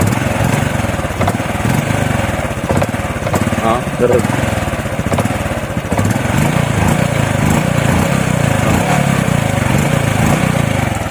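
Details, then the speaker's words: RS 125 FI single-cylinder with new throttle body, spark plug and fuel filter: under throttle revs stumble and sag unevenly, RPM won't climb, power lost; owner suspects the spark plug cap. "so motor is rs 125 Fi so ang problema is makang kumo accelerator dili dayon RPM mapid madung"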